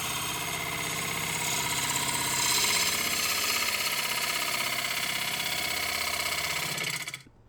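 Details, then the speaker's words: Wood lathe turning a wide-rim bowl from punky spalted wood, with an equipment malfunction causing knocking: rapid rattling chatter of about three knocks a second under a scraping hiss. It was somewhat less pronounced after switching to the smaller chuck with a wood screw. "Now, admittedly, on the first couple of passes, it did sound better. You could still hear the chatter, but it wasn't nearly as pronounced."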